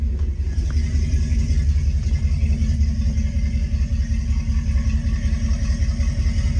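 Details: Boat engine at launch, revved in neutral then idling: steady low rumble settling to even idle, no knocks or misses; exhaust water briefly stops while refilling, which is normal, not overheating.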